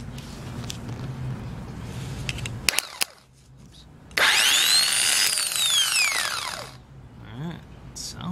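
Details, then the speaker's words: New replacement starter for a 2006 Ford E-450 Super Duty 6.0 V8 diesel, bench-tested. After some clatter it spins up with a strong high whir and winds down smoothly with no grinding; it works. Normal starter operation. "whoa we did it buddy we did it it's done it works"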